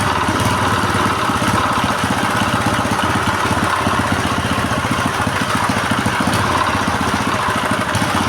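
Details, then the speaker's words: GX160/200 petrol engine that would not start, after carburetor float and choke cleaning and throttle adjustment, fuel tap open. It now runs with a quick, even single-cylinder putter at a deliberately slightly raised idle so it won't die under water load; running normally. "Dan ternyata mesinnya sekarang sudah bisa hidup ya. Untuk langsamnya memang agak ditinggikan."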